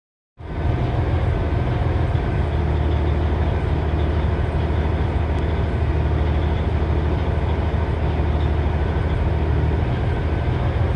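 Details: 2006 Cummins ISX CM870 diesel idling rough with a deep, uneven, stumbling throb.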